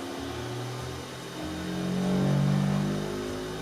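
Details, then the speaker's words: Anycubic Kobra S1 Combo 3D printer, brand new, during initial power-on setup: low droning hum swelling and fading over a couple of seconds as it runs its shake/vibration calibration; normal. "Then it started aggressively twerking, and I let you hear it, because I wasn't ready for those sounds."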